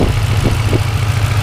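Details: Turbocharged car (Turbonetics 60mm turbo, 39 lb injectors, custom tune at 5.5 psi boost) at idle: low rumble with faint irregular knocks, also heard through the exhaust. Owner suspects something loose near the headers. Knocking at idle, cause unknown.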